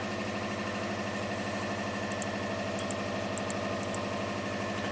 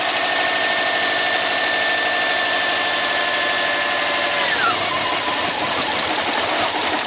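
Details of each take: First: Subaru with four ignition coils that barely runs with alternator connected, started with alternator unplugged: even, steady idle with regular low pulse, no misses, stumbles or knocks; normal idle. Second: Subaru that barely runs with the alternator connected and runs well with it unhooked, after a compression check and leak-down test passed and a junkyard ECU was fitted: steady high whine drops in pitch midway and turns rough; fault not pinned down.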